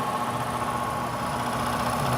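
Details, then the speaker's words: ICP/Heil heat pump air handler blower motor, stiff and crusty: runs rough with steady hum and pulsing vibrating rumble; failing motor needing replacement. "tell by the sound we don't need to look any further or read anything else this one's going to have to have a motor or a replacement one of the two"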